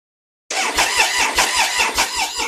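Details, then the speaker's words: Triumph Sprint 955i, about 28,294 miles, sat unused for years, battery about 10 to 11 V while cranking: even starter cranking about four beats a second that never fires; no-start, fuel pump not priming so no fuel. "But I can't hear the fuel pump prime. That also says there's no fuel in it. But the fuel pump's not priming. We ain't going to get fuel."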